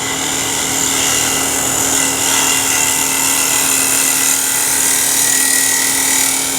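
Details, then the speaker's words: Wood lathe, finishing cut with a bowl scraper inside a bowl, bottom toward the rim: steady high buzzing whine over the cutting hiss as the thin outer wall chatters against the tool edge; damped by a hand supporting the outside. "now towards the end of that cut oh you heard some vibration and that's because this is thin enough out here that it was doing this against the edge of the tool so I needed to keep my hand on the outside to dampen that"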